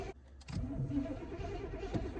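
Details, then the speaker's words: Cheap C4 Corvette with a very loud exhaust: a short crank, then it catches and runs unevenly, stalling unless given gas, its hardest start so far. Flooded hard start, injectors stuck open. "As soon as I give it gas, it's not. All right. So that was the hardest start this thing has ever had."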